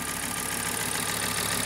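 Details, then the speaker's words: Cheap salvage-auction Audi RS Q3, after fuel leak from removed boost hose: even quiet idle, steady hum, no tapping standing out; sounds normal for now. "now the weird thing is it sounds completely normal now"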